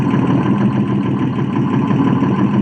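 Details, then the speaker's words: Detroit diesel engine idling: deep, steady rumble with an even beat, no knocks or misses; normal healthy idle. "Listen to that sound. I love Detroit diesels."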